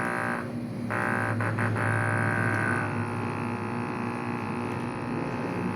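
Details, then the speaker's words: Aquarium air pump during repair: loud, low buzzing hum pulsing about four times a second; the diaphragm adjustment screw is misadjusted and needs resetting. "Ayan. Mas malakas pa siya sa isa, guys."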